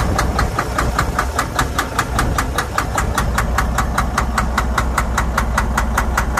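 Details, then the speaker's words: Detroit DD13/DD15/DD16 diesel at idle: sharp, evenly spaced metallic knocks over a rough idle with heavy smoke and no check-engine light; faulty injectors overfueling, engine unable to burn all the fuel. "the cause of the problem was faulty injectors injectors were over fueling the system causing a lot of knock you will hear a little knock on the engine because this was having hard time to consume all the fuel that was getting injected to the combustion chamber"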